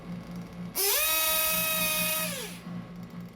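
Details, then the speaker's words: 1/8 RC nitro engine after the high-speed needle was leaned. A fast, even idle leads into a crisp rev that climbs and falls back smoothly; the revs pick up nicely and the high-speed needle is set correctly. "revs pick up nicely high speed needle is good"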